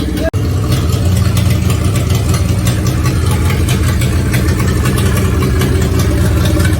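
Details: Renault 4L rally car after fuel filter change: steady, round idle with low rumble and puffing, blowing edge; big leak heard, sounding like exhaust leak.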